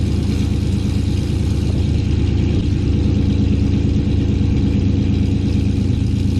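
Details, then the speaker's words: 2018 GMC Sierra 6.2L V8, slightly warm, after Kooks long-tube header and off-road Y-pipe install, cutout closed so exhaust runs through the muffler: deep, even rumble holding steady idle, no ticking, tapping or exhaust puffing; normal. "we'll give you not necessarily a cold start because i did turn it on to check for any leaks again so she's a little warm right now but yeah i'll go ahead and start her up for you guys"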